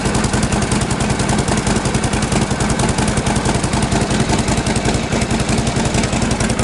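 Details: 1952 Harley Panhead after sitting six months, just kick-started with choke off and spark retarded: loose, even lope of the big twin firing steadily at idle with no knocks or misses; runs healthy.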